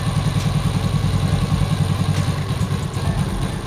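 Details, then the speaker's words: Yamaha Vega R motorcycle in gear at standstill with brake held: rough "krek krek" grinding clatter, smooth in neutral and once moving; caused by a worn one-way clutch bushing, fixed by replacing the one-way set. "ini saya injak pedal rem nah terdengar ya suaranya ada suara krek krek krek krek begitu masukkan gigi pedal rem saya injak biar roda tetap berputar nah kedengeran ya suaranya"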